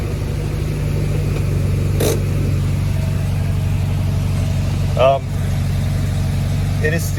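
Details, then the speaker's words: Air-cooled engine just fitted with an OEM Solex 34 PICT-3 carburetor, replacing a Chinese clone, with an aftermarket air filter, putters steadily but fast; idle still too high, bypass screw adjustment planned. "still too high for my liking. I will do some more adjustments, but for now I'm going to give it a couple of test runs like that."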